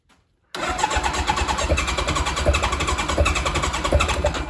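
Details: Engine-swapped Kawasaki KZ1000 police bike: the starter spins in a quick steady chug that never catches, then winds down; it is out of gas, and the starter relay wire was found unbolted and sparking.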